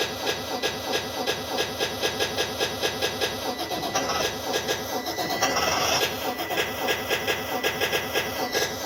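Starter cranks with a steady, rapid chug of about three compressions a second, but the engine never catches; it cranks without starting.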